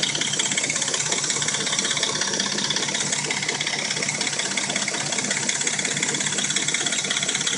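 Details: Dodge Intrepid at warm idle: fast, fairly even metallic rattling knock about three per second over the engine hum. It only rattles and knocks when warm and sounds like new when cold. Timing chain suspected, unconfirmed.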